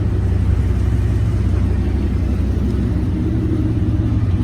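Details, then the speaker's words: 1955 Packard 400 hardtop, 67k believed-original miles: deep, slightly raw, steady V8 idle rumble, louder than it should be because one muffler is blown out; new muffler would quiet it. "One of the mufflers is blown out of it, and you can hear that, why it's a little louder."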